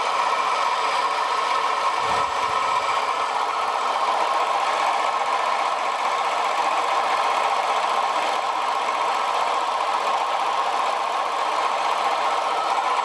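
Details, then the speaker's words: Short-stroke sprayer pump after regreasing its crunchy, rusty bearings, which lack water seals: a steady whirring rush with a faint gritty edge and no knocks; it turns freely, and the bearings have no play but remain slightly noisy. "Ideally I should replace those bearings, but there's no play or anything in them, so they're just noisy."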